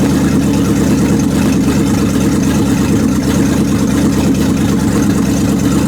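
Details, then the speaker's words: 1929 Chrysler 360 with 727 Torqueflite, manually shifted into reverse after adding half a quart to low fluid, wheels spinning: steady, loud, low V8 drone with no misses; converter pulling, valve body suspected, shift fault unconfirmed. "well I disconnected the shifter and I manually put it in reverse so I'm going to fire it up in reverse"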